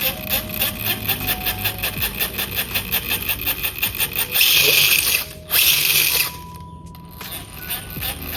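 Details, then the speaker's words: Gearbox rattle on a 1:10 SCX10-clone Rubicon RC crawler kit (313 mm wheelbase, Fusion Pro motor, 3S battery): the spur gear wobbles, so pinion mesh goes alternately loose and tight, giving a whirring drive that pulses loud and soft; gearbox needs readjusting. "Ini lumayan gearboxnya itu lumayan goyang-goyang. Jadi suaranya berisik. Nih sepurnya goyang-goyang, Guys."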